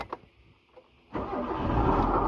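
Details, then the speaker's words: Proton Waja before water pump replacement: the engine starts and settles into an idle with a harsh, gritty rasp, and the coolant is not circulating. Worn water pump bearing noise. "Ha nampak dia bunyi dia kasar macam bearing water pump tu dah rosaklah."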